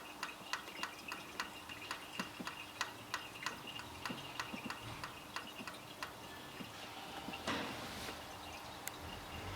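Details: Jeep Wrangler 4.0 inline-six after shutdown: sharp, light, slightly uneven ticks about three a second, felt in the valve springs, occurring after any engine rotation, faster when hot; engine reports cylinder 6 misfire.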